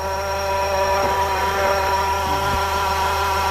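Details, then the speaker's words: 2-litre Honda Civic (06 and up) at idle with AC off, heard at the compressor from the wheel-well side with the tire removed: steady whine of several constant-pitch tones; worn AC compressor clutch bearing. "That's the AC housing pump. You can hear it clearly, exactly the same sound."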